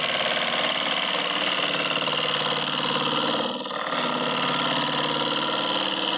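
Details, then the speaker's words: Lathe turning a green hickory bowl interior with a small 3/8 gouge on finishing cuts, overhung past the tool rest; constant hissy cutting noise with fast fluttering rattle, easing briefly mid-cut; vibration and chatter from gouge overhang. "I think I'm overhung a little bit and getting some vibration and some uh kind of chatter just from being extended past the tool rest more than I should be with a small diameter gouge"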